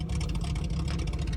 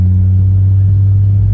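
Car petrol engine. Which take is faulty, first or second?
first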